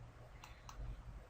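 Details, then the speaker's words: MerMaid data logger for a duplex wastewater lift station, with its relay output toggled on and off during setup: two crisp clicks about a quarter second apart over a low hum, the relay pulling in and releasing normally. "and also you can check your relay by hitting on and off and you can physically hear it clicking inside the data long"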